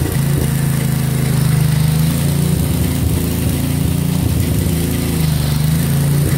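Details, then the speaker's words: 1963 MTD Lawn Flite lawn tractor after ignition rebuild, mowing: small single buzzes hard and steady at a high unchanging pitch; overrevving, owner says throttle and governor aren't quite right, had to throttle all the way down. "the throttle and the governor aren't quite right it started to run in a bit too fast"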